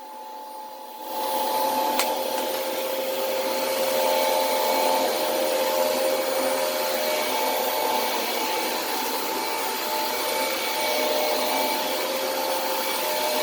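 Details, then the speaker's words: Hoover vacuum running with a noisy brush roll: steady high rushing whine with faint whistling and strained airflow; owner recalls removing the HEPA filter previously got rid of these sounds, suggesting a restricted HEPA filter. "so you can hear the sounds that it's making is not not super healthy sounding but i if i remember correctly i did remove the hepa filter and that got rid of those sounds"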